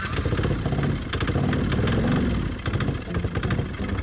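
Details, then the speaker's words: Honda CX-500 V-twin that would not otherwise run, running on pure starter fluid: rough, lumpy rumble with sharp clunks, thought to be detonation; onlookers suspect rod knock. "So, we did the mature thing and tried to get it going with pure starter fluid. What's making all that noise in here?"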